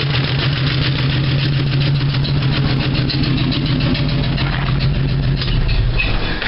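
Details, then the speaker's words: 1975 Dodge D100 slant six idling loud through open exhaust: uneven beat broken by irregular pops. Owner suspects a burned valve or air sucked back somewhere, may check rocker arms; cause unconfirmed. "it may have a valve burned out of it because it's popping somewhere and i'm not sure where i mean i realize it's open exhaust and it's going to be loud but it's it's almost like it's sucking air back through there somewhere"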